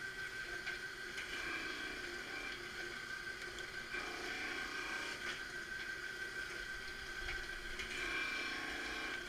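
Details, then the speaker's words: Marunaka MG 500 straight knife grinder rough grinding a blade, head lowering a little each pass until a wire edge forms; steady even grinding hiss with constant high tone, no chatter, normal operation. "you hear it start to do the grind you just talks out a little each each pass side comes down a little bit do that is talking the nice even pass all the way across until you get a little wire edge on the back of it"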